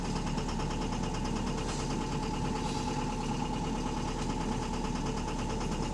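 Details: Heavy diesel bus engine (AL HV48, route 335) idling with a steady, rapid tapping knock over the low rumble, even and unchanging at tickover; loud rod knocking suspected, not confirmed.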